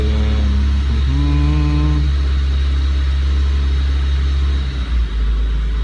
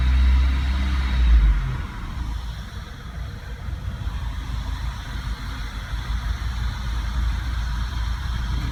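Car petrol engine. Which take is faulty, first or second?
first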